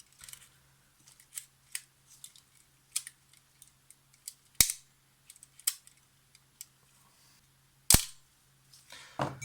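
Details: Yashica FR-1 film camera shutter during restoration, after lubricating roller shafts with thinned oil: crisp single clicks in a quiet room, cut off clean with no lingering spring ring; shutter fires properly.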